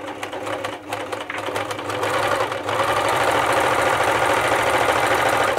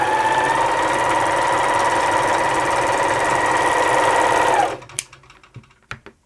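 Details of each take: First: Elna T34D serger/overlocker before service, threaded with new needles for a test run; fast, uneven, labored clatter with a harsh rattly edge, running fairly slow with tight handwheels, though it sews and cuts fine; rough running. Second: Elna T34D serger/overlocker after service and sharpening of the lower blade; even, smooth whirring stitch rhythm of about 3.5 beats a second with no knocking, sounding much better than before; normal running.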